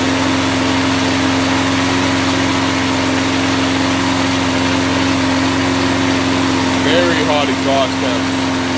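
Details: Test mower engine lubricated with car wax in place of oil, run at about regular mower speed: a steady, even, unlabored drone, not seizing; exhaust temperature later cooled and it completed 10 minutes, though the wax hardened.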